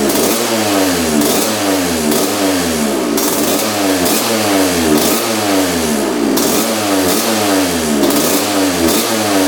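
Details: 1986 Honda CR125 two-stroke: throttle blips now rise and drop back crisply off idle with a slight burble; air screw about four turns out shows the 62 pilot jet is too big, pilot circuit still slightly rich.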